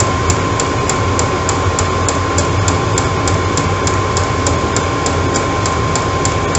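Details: Chinese 12V eBay diesel heater in an off-grid garage, run off a 12-volt battery, hot and self-regulating: steady even low roar with faint regular fuel-pump ticking about three per second, no stumbles; running normally.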